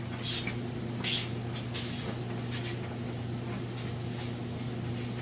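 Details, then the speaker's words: Whirlpool electric dryer, full load of washed clothes, timed dry, already warmed up: steady low motor hum with soft irregular tumbling, no bumping or weird noises; running smoothly and normally. "Sounds good. It's nice and smooth. It's not bumping around or making any weird noises."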